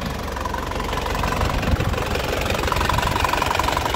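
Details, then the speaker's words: 2004 Isuzu Panther LS Black Panther diesel, warm after driving: even, unhurried idle clatter with no misses or extra knocks, no blow-by at the oil filler; a healthy engine ticking over. "Jadi tandanya mesinnya itu insyaallah sehat."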